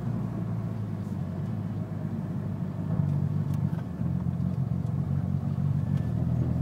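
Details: Evo engine revved: a light, quick ticking comes in over the rumble from about 2000 rpm; cause unknown.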